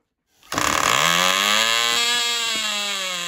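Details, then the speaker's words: Cox .020 Tee Dee nitro glow model engine on thrust test stand, running after fueling: catches and climbs into a clean, high, steady scream with no misfire or sag; about six ounces thrust, runs great; normal running. "six ounces that's pretty good well that really runs great"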